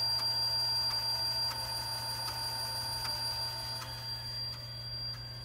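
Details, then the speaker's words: TRS-80 Model II/16 8-inch floppy drive imaging a single-sided disk: crisp, even ticks about three per second over a quiet motor hum, with occasional squeaks; the head steps track by track reading normally. "Squeaking noise, which you'll hear a little floppy occasionally. You can see the head stepping as it's reading each track of the floppy."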